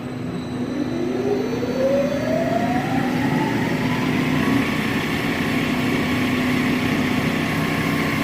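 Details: Smithy AutoMate CNC LT1440 lathe after spindle replacement with new smooth bearings, run near 1800-1900 rpm: smooth tone climbs steadily as the spindle spins up, then holds even with no grinding or knocking.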